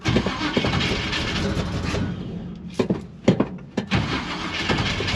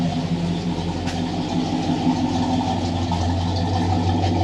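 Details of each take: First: Big-block 1956 Chevy gasser wagon on a cold start after sitting in snow; snow got in through the cut-out hood and water reached the distributor, which is missing on a couple of cylinders. Water is also found in the oil. Stumbling catch, then a rough uneven lope with dropped beats. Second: 1968 Plymouth Satellite V8 at idle, freshly completed and just started, with a new standard high-volume oil pump showing 60–70 psi oil pressure and the temperature gauge still reading cold. Even, slightly lumpy idle with a steady low burble, no knocks or ticks; healthy engine.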